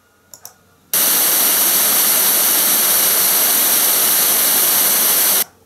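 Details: Logitech Z333 2.1 speakers, left channel speaker playing centered mono white noise, mic placed by the speaker: steady, even hiss at full level with no crackle or dropouts; channel outputs, though the owner's complaint is that left plays quieter than right.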